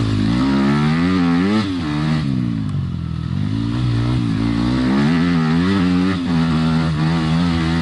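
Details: Yamaha dirt bike ridden on trail after replacing triple clamp steering bearings; four-stroke pulls cleanly through throttle changes, pitch rising and falling evenly, no knocks or rattles; engine healthy.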